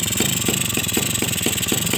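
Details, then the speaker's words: Suzuki RC two-stroke after new piston fitted, tight to the liner with higher compression, idle adjusted: steady idle with even crackly exhaust beat and crisp pulses about every quarter second, holding cleanly — normal idle. "Oke teman-teman ya, langsamnya juga dapat."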